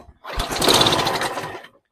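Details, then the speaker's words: Mower on the second pull: the engine catches with a ragged burst of firing for about a second and a half, then cuts out dead. Owner suspects it needs a carb clean; the tank was bone dry. "No, that was good. Second pull. It fired off."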